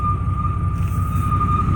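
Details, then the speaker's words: 1995 Chevrolet Silverado K1500 Z71: steady high-pitched whine over low even idle rumble, goes away when gas pedal pressed and returns on release; abnormal whine at idle, source unidentified. "it goes away when I press the gas pedal but but I remove my foot on my arm where my hand does that weird noise it comes back but what I do it again if we're noise goes away and now when it comes back it sounds weird by the way I don't like that noise"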